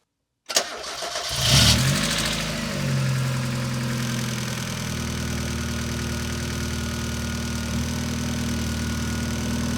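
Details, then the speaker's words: Mazda Miata engine with hydraulic lash adjusters, cold start after the oil had drained down, recorded on a second microphone: fast, high-pitched tick-tick clatter at startup that quiets after a few seconds of idle. Hydraulic lifter tick. "You could probably, hopefully, hear this when as soon as it started up, it had that kind of high-pitched clatter, the tick, tick, tick, and then it quieted down after a few seconds."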